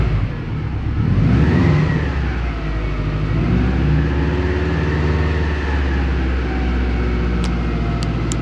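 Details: Subaru Impreza GT engine running: thin whining tone rising and falling with engine speed over the rumble; annoying whine, cause unknown.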